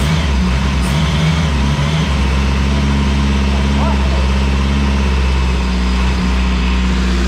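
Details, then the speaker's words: Renault 5 GT Turbo engine first run after unlocking ignition angle; loud low drone wavering and hunting unevenly, rough but running, needs tuning; rough running. "now big bang oh mate like a [ __ ] kitten well a pretty rough kitten but still it's [Music] closer mate it's closer"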